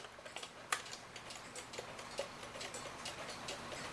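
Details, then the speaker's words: Hebert Herr 8-day cuckoo clock, before oiling and with no pendulum, ticking while the hand is turned. It gives a crisp, even tick-tock with a steady, unhesitating beat, seeming to tick okay. "And that seems to be ticking okay."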